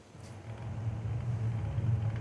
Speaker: this tire is really bad you can see i don't know if you can see the up and down a lot of flat spots in it do you notice this thing's it's like a square tire it's not even radial a circle